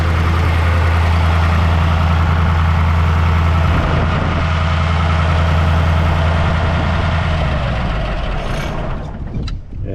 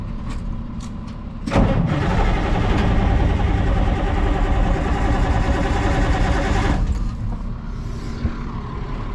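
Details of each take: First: Caterpillar 3208 diesel that would crank but not start, fixed by freeing the stuck valve under the fuel cutoff solenoid: a deep, steady idle with an even low thrum at about 200 beats a minute, fading out as the engine is shut off by hand. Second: Caterpillar 3208 diesel, sat about a year, on a cold morning with ether applied: it cranks fast and evenly for about five seconds but never fires. Crank no start; a stuck valve under the fuel shutoff solenoid is suspected.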